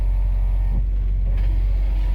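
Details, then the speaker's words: 1957 Mercury Turnpike Cruiser idling at about 600 RPM on the tachometer: low, even rumble with no ticks, misses or knocks. Smooth, normal idle. "As you can see, the tachometer even works. Look where she's idling at about 600 RPM. Nice and smooth."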